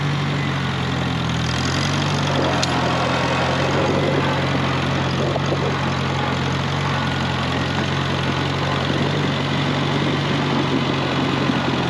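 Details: 1948 Farmall Cub tractor, long stored over winter, idling to warm up for an oil change on a roughly 33°F day: after a brief speed drop it settles into a steady, even low idle with no knocks or misses; healthy.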